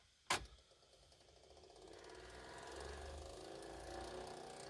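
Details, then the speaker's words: 1983 Ferguson 3V32 (JVC HR7655) VHS deck after long storage, on fast-forward search: a click, then a faint rising whir with a scraping hiss as the worn idler tyre slips against the take-up spool. "yeah that horrible noise as the idler is trying to make contact with the take-up spool"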